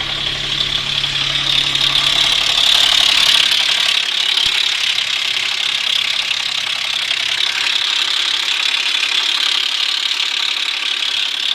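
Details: Infiniti FX35 VQ35 running engine: hard, high metallic clatter about four a second; timing chain tensioner bolts (shorter than specified) backed out, breaking the chain guide and tensioner shoe; repaired with new chain, shoe and guide.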